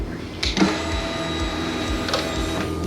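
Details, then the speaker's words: 2022 Harley-Davidson Pan America, new fuel pump just installed (old pumps whine or struggle to prime past ~10,000 miles); second key-on prime with little gas in tank: smooth, steady electric whir, no rattle or surging, first prime sounded a little weird; normal healthy fuel pump prime. "Nice and smooth, dude. That sounds good. >> That's a good normal priming. Yep."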